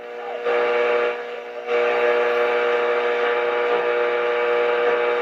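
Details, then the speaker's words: RCA 811K console radio at first power-up after restoration, tuned to a station. Audio plays loud, drops away for about half a second, then surges back. Volume fading and pulsing; owner suspects the automatic volume control. "so I'm not quite sure what that why that's happening I suspect it it has something to do with the automatic volume control because when I get on station really strong it will come"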